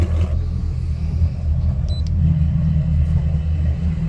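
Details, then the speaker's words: Mercury outboards on a new Boston Whaler 280 with sport exhaust switched on: steady, even idle, noticeably louder and deeper, no misses or knocks; sport exhaust works though an exhaust piece is missing. "A noticeable difference. Yeah, they're both much louder now."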